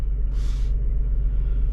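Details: Mazda RX-8 rotary after swapping in a used oil metering pump (OMP) and moving the sensors over to fix limp mode, engine light now off: deep, smooth, even rumble with no misses or knocks, a brief hiss; idling cleanly.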